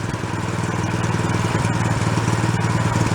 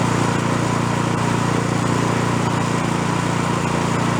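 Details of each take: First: Used small snow blower after priming and warming to operating temperature: even, steady putter at idle with regular firing and no hunting; idle circuit now working, runs much better. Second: Small snow blower with plastic impeller, during carburetor jet sizing: steady buzzy single-cylinder drone, slightly uneven, smoothing on choke; still running lean, needs one jet size larger.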